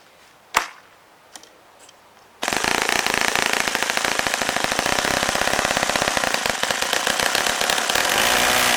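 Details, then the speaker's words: Saito FA-65 four-stroke model engine, high-speed needle set for flight, throttle near closed: rapid, slightly uneven popping idle around four beats a second; low-speed mixture quite rich, earlier died near 2500 rpm target (idled reliably ~3300 rpm). "Bridget sounds right now here's the Archaean increased by it is quite rich"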